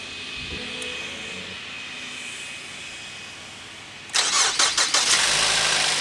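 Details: Car that sat several days untouched, battery resting about 12.35 V before cranking during a battery test: near silence, then a brisk second of even cranking before the engine catches and runs; normal crank and start.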